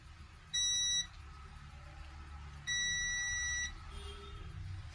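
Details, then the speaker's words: Apple MacBook model A1369 at startup with no display: a half-second high beep then a roughly one-second beep over room hiss, a startup fault code; graphics chip problem suspected, logic board to be diagnosed. "हम इस laptop के logic board को खोलेंगे और इसको diagnose करेंगे की motherboard के कौन से क्षेत्र में प्रॉब्लम है और यह बप की साउंड क्यों ए रही है"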